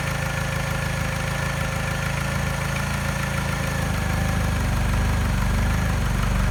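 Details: Mini with a soft regular engine tap at idle that disappears above 1200 rpm, plus a rough idle with a faint stumble and a slight miss the scanner doesn't detect. Persists after timing chain, tensioner and piston ring replacement; cause unknown.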